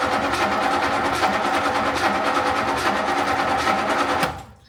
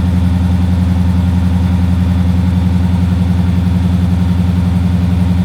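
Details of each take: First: 20-foot Daimler Majestic Major limousine with a Hemi V8, cold start. Over four seconds of steady starter chugging, about three beats a second, before it catches into a deep rumble. Reluctant cold start, likely needing choke. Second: Daimler Majestic Major limousine Hemi V8, cold start on choke, a bit shaky: deep even burble, steady beat about four per second, no misses or knocks; healthy V8 idle.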